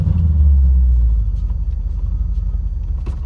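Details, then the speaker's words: Mercedes E55 AMG V8 after a 6-speed manual swap, first test drive, pulling away in first gear with headers not fitted (wrong size supplied) and no full exhaust: deep, loud, raw, uneven rumble. "it sounds like complete ass because I have the headers that Amazon sent me the wrong size"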